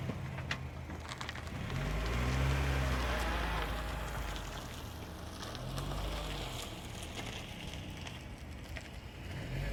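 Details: GE8 Honda Fit with brand new pads driving: faint high-pitched brake noise over road and wind rumble, present with brakes released and lessening when brakes are applied.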